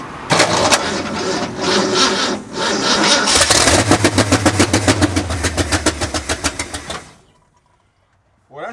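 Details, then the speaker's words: 1965 Ford F250 Camper Special with 352 V8 rebuilt 8–10 years ago, long parked with a persistent running issue, first start: stumbles and pulses unevenly three or four beats a second, then dies after about seven seconds; rough running, cause unconfirmed. "just terrible doesn't it yeah yeah let's try it again"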